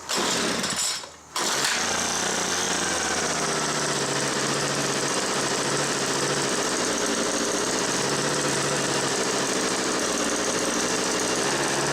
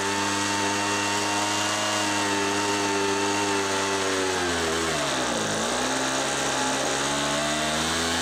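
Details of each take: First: Homelite MightyLite 26b leaf blower (UT08520) before carb repair: starts and runs on full choke, but on half choke revs high and shuts off; owner suspects more than the fuel line. Catches after a pull, runs rough on choke, then dies. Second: Homelite MightyLite 26b leaf blower (UT08520) after Zama carburetor rebuild kit, fuel line kit and warm-up carb screw adjustments: steady high two-stroke buzz holds even, dips briefly and recovers cleanly, running smooth and strong.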